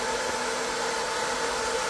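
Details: 20 W diode laser engraver module with a continuously running top-mounted cooling fan, recorded by phone at a measured distance while testing spacers to reduce noise. Steady airy hiss with a faint even hum and no rattle; the fan is running normally.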